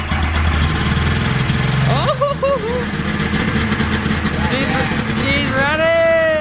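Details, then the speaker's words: 1995 Polaris XLT 600 Special triple snowmobile, first run in 20 years with new fuel line, pump and filter: lumpy, uneven running with wandering revs; missing and rough, bad gas suspected. "okay I think it's bad gas for sure what it doesn't sound right does it it sounds good but I can smell the bad gas probably"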